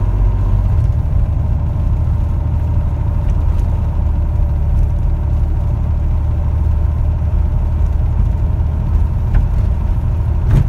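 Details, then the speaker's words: 1961 Chevrolet Corvair Lakewood on test drive after FAST XR 700 electronic ignition fixed no-spark issue: steady even low drone with road rumble, no surging, misses or sputter while cruising; runs smoothly. "well i think that sounds good starts fine idle's okay in park and as i'm cruising there's no surging or sputtering it's all nice and smooth"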